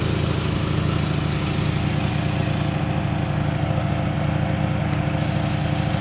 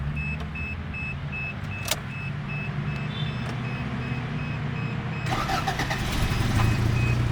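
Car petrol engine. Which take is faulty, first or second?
first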